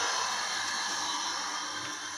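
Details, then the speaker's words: Water pump motor after faulty cable, which sparked at the switchboard, was found and fixed: steady even whirr without surging or knocking; motor running normally. "यह देखो motor की आवाज आ रही है इसका मतलब motor सही है"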